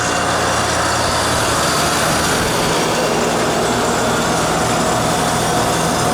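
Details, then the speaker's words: Mokon AS2J air-cooled scroll chiller holding about a 50-degree set point: a steady hiss from the hot gas bypass sits under the fan and compressor roar. Normal hot gas bypass operation. "You can hear that little hissing noise. It's the hot gas bypass."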